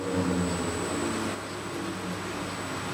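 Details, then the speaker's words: 1940s A.G.E. three-phase motor with sleeve bearings, run at low speed on a drive: low uneven hum with a dragging rub about three times a second, weak torque. Friction in the sleeve bearings is suspected; bearings to be checked. "like I got friction because the drive kind of struggled there. Yeah, I'm going to have to check those bearings. There sounds like friction in those sleeves."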